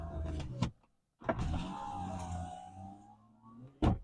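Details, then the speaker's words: 1998 Corvette C5 power window after repair. Motor whirs at a steady pitch for a couple of seconds and stops with a clean thud, with no grinding or strain; window works properly. "lovely that my friend is what we call a job well done this one goes up as well"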